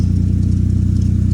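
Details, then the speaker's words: Lexus IS300 just after an engine swap, running with no exhaust fitted and no check engine light: a loud, deep, even idle pulse with no misses or knocks. The engine runs smooth and healthy. "sounds like shit because we still have no exhaust, but dude, it's idling. No check engine light, by the way."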